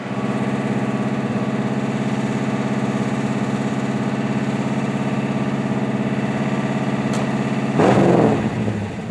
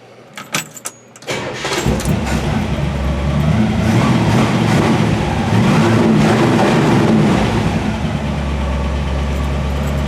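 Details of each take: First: 1963 Impala SS inline six (230 or 250, not 292) with OEM fuel pump, new lifters with one heard slightly sticky: steady, even idle, no stumbles or misses; fuel pump good, normal idle. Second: 1963 Impala SS V8, freshly built with new lifters primed in oil, on an OEM fuel pump: it catches and settles into a lumpy idle with a light, fairly steady tick about four a second; one lifter ticking, which the owner thinks is sticky and will loosen up.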